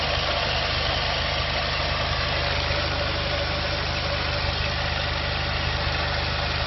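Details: VW 1.9T diesel at steady idle on its first proper run without misfire: even clatter with no stumbles or skipped beats, running smoothly on all cylinders.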